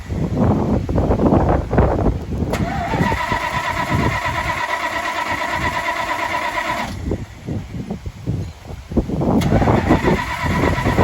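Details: 1984 Dodge Ram with straight pipe: long uneven cranking with a rough chugging beat before it finally catches; hard start, cause not yet known.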